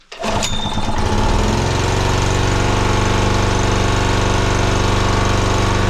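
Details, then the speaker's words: 2014 Honda GX120-powered air compressor that had no compression, first start: catches within a second and settles into a slightly uneven throbbing chug, rough while burning off excess oil. "Might take a minute to burn off all the excess oil and everything."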